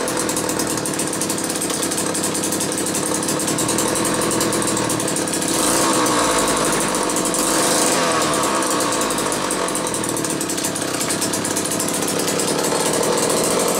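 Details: Old McCulloch 1-40 two-stroke chainsaw, very smoky: rough uneven buzz whose pitch rises and sags mid-clip; suspected bad crankshaft seal on one side or crankcase sludge, maybe carb rebuild kit; tuning not far off, cause unconfirmed.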